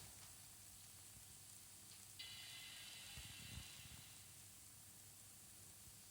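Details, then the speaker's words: 15-inch 2011 MacBook Pro after replacing the noisy fan with a new one, microphone held close: only a faint steady airy hiss, no rattle, buzz or grinding; noise gone, fan working normally. "Now I can't hear any noise. So if I close up the microphone, you can check if you can hear any noise. No noise, so it's fully perfectly working."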